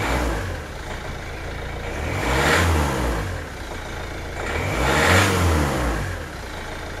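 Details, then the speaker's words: Hyundai i20 with P1186 low rail pressure, after replacing the fuel pressure control valve; it previously died on throttle. Takes a bit longer to start, settles at 900 rpm idle, then two clean rev bursts without stumbling; normal revving. "900 RPM. Idle. Sounds okay."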